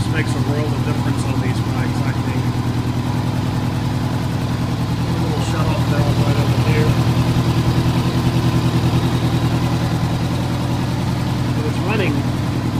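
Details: 1985 Honda Gold Wing GL1200 Aspencade, warmed up, freshly rebuilt carbs and cleaned tank, after sitting seven years: smooth, even idle with steady low pulses, no misses, knocks or hunting; healthy.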